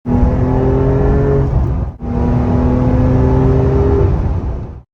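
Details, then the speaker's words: Manual Porsche 911 (992) Targa 4 GTS at 30,000 km went into limp mode with an engine misfire. Under throttle it shudders and hesitates, the note surging then dropping out. "It's shaking. The whole car is shuddering. I'm pressing the gas, nothing. Just hesitation."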